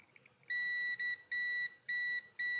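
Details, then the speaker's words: Mercedes 560SL (R107) neutral safety switch checked with a continuity tester during reinstallation, shift lever in neutral: five clear high-pitched beeps show continuity, so the switch closes in neutral. A faulty switch stops the car from starting. "put it in neutral, which is pretty much straight up and down, and then you can check it. You guys can do this. You'll hear it."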